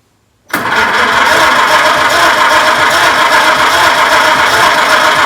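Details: 1926 Oakland, unrun for about 75 years, in the shop during ignition work: starter engages abruptly and cranks the engine evenly at about four beats a second; healthy cranking, spark confirmed at a plug.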